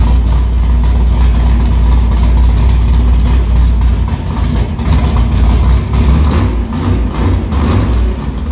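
Deep, loud V8 rumble with a few light blips of throttle, catching and holding a firm idle; the engine sounds healthy.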